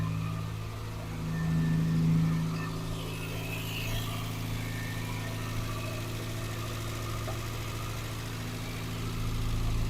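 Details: Morris Minor four-cylinder idling after 12 months in storage: steady even low hum with a brief blip of revs early, then settles smoothly; normal idle.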